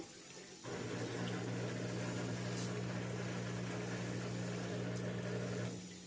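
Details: Turbo Drum 3 8.5 kg washing machine, reassembled with its belt, draining before spin: a steady low drain-pump hum holds about five seconds with rushing water, then fades. The drain works normally; the machine had vibrated excessively during spin.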